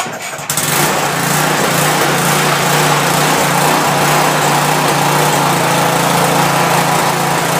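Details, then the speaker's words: Small 4hp single-cylinder engine taken from an old pressure washer and fitted to a tractor: starts and settles into a fast run with a slight uneven rise and fall; owner unsure whether it is surging. "I don't know if it surges. I mean, it sounds like it does, but I'm not sure."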